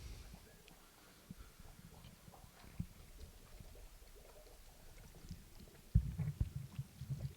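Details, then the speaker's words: Canister filter on a 29 gallon dirt-substrate planted aquarium, primed by pumping after cleaning: low soft rumbling with louder gurgles as trapped air bubbles out while it fills; normal priming, plug in once bubbles stop. "And then you can hear it filling up. I don't know if you can on the camera, but and there's all the air coming out there, sucking in through there."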